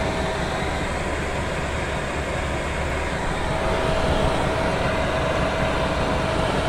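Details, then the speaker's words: Chinese diesel heater running on Jack Daniels whiskey as fuel, in full burn: an even, steady combustion roar with a faint constant tone and no surging or popping, burning cleanly; normal combustion. "I can hear it it's burning nicely there we go we're away thank you lovely warm humping burning Heating"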